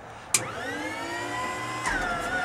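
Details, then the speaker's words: Pratt & Whitney R985 radial in a 1941 Stearman, sat all winter, preliminary start with blow-out plugs fitted to clear oil hydraulic lock in the intake, mixture full rich and throttle near closed: the clutched starter whine climbs slowly, then a single firing bang. "she goes here the blow-off plugs it's just fired once right there"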